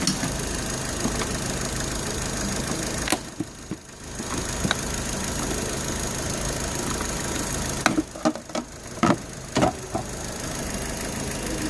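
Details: Vauxhall Zafira 1.8 with CAN bus trouble and a no-crank no-start, now running after re-securing three screws; steady even idle with a couple of brief dips and no misfire; faulty fuse box still suspected.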